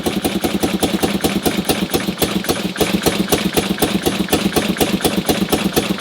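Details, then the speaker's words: 1958 BMW R69 twin, untouched for over 10 years, fires on the first kick after fuel on and carbs tickled: even, steady putter at idle with no knocks, misses or rattles; normal idle. "was legitimately the first kick and she fires straight into life and it honestly sounds pretty good"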